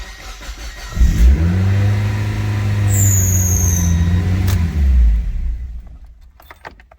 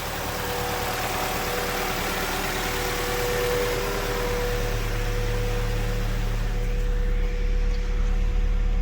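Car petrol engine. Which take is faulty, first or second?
first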